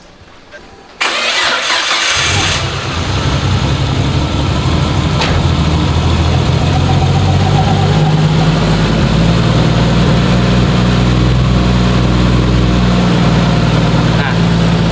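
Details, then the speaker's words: Nissan Cefiro A31 RB25DET after combustion chamber cleaning and fresh oil: short crank, quick catch, then loud steady idle with even low drone and no stumbling; healthy start and idle. "mobil sudah hidup. Kita tunggu dulu sekitar 5 menit agar olinya ee melumasi seluruh komponen."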